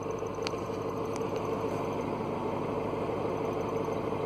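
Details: Clutch release bearing starting to fail on a W202 Mercedes C230 Kompressor: steady thin mid-pitched squeal at smooth idle in neutral, parking brake on; squeal disappears when the clutch pedal is pressed or just tapped.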